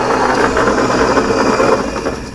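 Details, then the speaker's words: Laguna Pacifica pottery wheel running after repairs at steady speed: a constant dry, scratchy rotating chatter with no single knock; the owner suspects a bearing in the hub is going bad. "because it sounds like this bearing in here is going bad which I kind of thought it might be"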